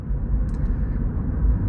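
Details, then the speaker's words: Third-gen Mini Cooper three-cylinder driven after a rag sucked into the intake was removed and fault codes cleared (it had stalled on every start): smooth low engine drone under road rumble, no misfire or hesitation; pulls with full power. "All right, I cleared the fault codes, and now I'm driving it. It feels great. It has the power when I get on it."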